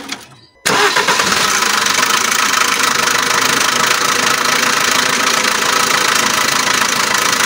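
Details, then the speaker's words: Alfa Romeo MiTo 1.3 Multijet diesel with timing chain synchronization and oil pressure fault codes: it catches, then runs with a loud, persistent metallic rattle near the timing chain; worn timing chain suspected, with a loose chain oil jet noted as a known early-engine cause. "a very loud engine noise here near the timing chain the car also has some codes and when doing the diagnosis it has synchronization issues with the timing chain"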